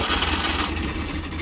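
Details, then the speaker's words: Freshly built 1200 race engine run off load on a dyno (about 120–130 hp): loud, steady high-rev roar with no knocks or rattles; builder says the rod dynamics are right and it feels happy, healthy free-revving engine. "might sound really weird to say this but because I know the Dynamics in this engine are right as in the way the rods working and everything it really does feel happy at"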